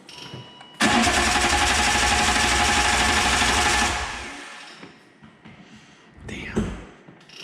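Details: 1997 BMW M3 with the EWS bypassed by a jumper and the starter proven good. The starter cranks steadily for about three seconds with no firing: crank, no start.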